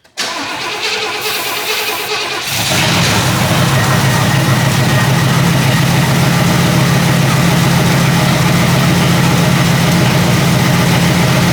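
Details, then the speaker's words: 1977 Pontiac Grand Safari wagon, 301 V8, parked since 1996, no fuel from fuel pump: fires on sprayed brake cleaner into a rough, loud steady run then dies; carburetor suspected completely plugged, float bowl fuel not getting through. "Yeah, I think this carburetor is completely plugged because we filled up the float bowl and we aren't getting anything except what goes down it."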